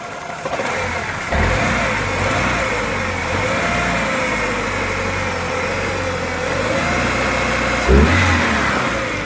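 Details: 2000 Ford Ranger 2.5L four-cylinder running unevenly, with occasional thumps and stumbles breaking an otherwise steady idle hum. Engine misfire.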